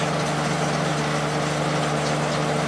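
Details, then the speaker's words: Late-90s 40-pint Whirlpool Accudry dehumidifier, reciprocating compressor, Emerson fan motor, running opened up: steady low compressor hum under even fan whoosh; normal running, evaporator very cold all over. "it's getting really cold all over. I just pointed at the area with the fins. Definitely working well."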